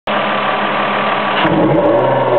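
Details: 2002 Ford Escape exhaust: rough, hoarse roar that chokes and dips with revs; two failed coil-on-plugs misfired, unburned fuel clogged the catalytic converters.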